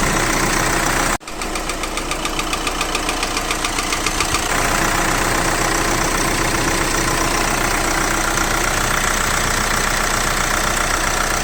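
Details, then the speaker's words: VW Crafter 2012 2.0 BiTDI twin-turbo diesel at about 270,000 km, weak battery: brief slow starter whirr, then an even idle with regular soft clatter and no knock. Reported knocking and power loss were not heard. "слабовато крутит но как бы крутит Да есть же вроде как ровно работает стука не слышно"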